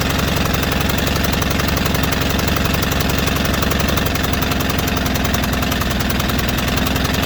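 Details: White Outdoor LT542G riding mower, small twin, running erratically with throttle linkage binding (missing clip), also drinking gas and fuel in oil: engine chugs with a ragged, hunting beat instead of smooth idle.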